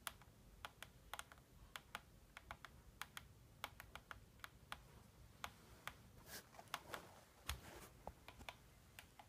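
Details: Logo 550SX RC helicopter in a quiet room making sharp, uneven ticks a few times a second; ticking noise, cause not clear.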